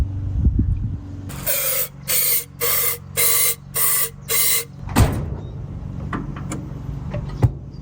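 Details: 1952 Chevrolet Bel Air 235 six, standing about 3 years, first start after fitting a new carburetor: several short cranking bursts, then catches and settles into a low, even idle; normal start.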